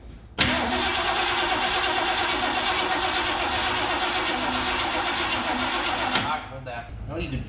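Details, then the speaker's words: 1969 Mercury Cougar SS 351 Windsor 2V V8 stored 20 years, fuel gauge empty, start attempt with some gas pedal: starter churns evenly about six seconds without catching; slow, extended cranking before it finally runs. "all right there she is finally running yeah i got my foot on the gas a little bit"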